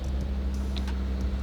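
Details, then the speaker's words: Nissan 370Z after new coil packs, OEM spark plugs and a valve cover gasket to cure a misfire: a low, steady idle hum with no pops, ticks or misfire. It runs normally. "Sounds good. Sounds normal. Sounds amazing."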